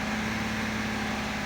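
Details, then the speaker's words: 2016 Audi Q7 3.0 TDI Euro 6 at 1500 rpm after a preemptive engine fix: a steady, smooth hum with a constant low drone. The horrible rattle it had at 1500 rpm before the fix is gone; it is running normally. "but this car before I don't know if the video will actually pick it up on the audio but at 1500 RPM there was a horrible Rattle and that's [Music] gone"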